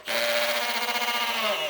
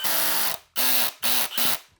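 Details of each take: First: Drill driving a screw with hammer mode wrongly engaged: whine with a fast buzzy rattle of hammering vibration, unlike smooth drill mode. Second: Drill with its clutch set at 5 driving a 4-inch screw into white oak: rapid ratcheting clicks over a whirring motor as the clutch slips at the set torque, which is normal.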